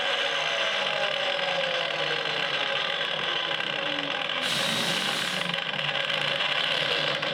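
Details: Failing Milwaukee M18 12-inch miter saw coasting down: high whirring winding slowly down with a rough gritty edge through the spin-down, blade slow to stop; the saw is going bad.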